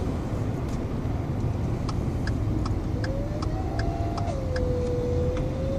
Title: 2013 f150 turbo failure